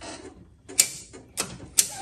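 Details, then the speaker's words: 1970s EZGO golf cart with internal starter-generator, new battery, key and switch forward, pedal pressed: a few sharp isolated clicks half a second to a second apart, no motor spin; solenoid clicks but starter-generator does not turn. "Nothing. You can hear the solenoid kicking, but watch this."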